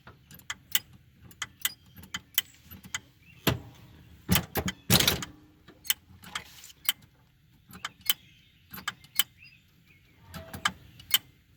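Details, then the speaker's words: EZ GO electric golf cart that will not go, solenoid jumped to test it: sharp, irregular clicks as the solenoid actuates, but the cart never drives. "You can hear the solenoid clicking. That clicking is the solenoid. So it is actuating. I just don't know if it's actually doing what it needs to move."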